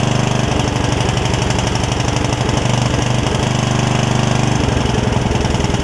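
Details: Yard Machines riding mower engine, just revived from a water-filled engine, runs unevenly at about two beats a second, with beats bunching and missing. The owner suspects richness and blames part of the miss on valves not gapped after the valve cover went back on.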